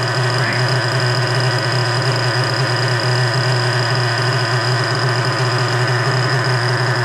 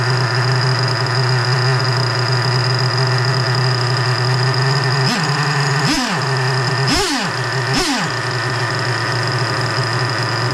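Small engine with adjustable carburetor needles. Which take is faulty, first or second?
second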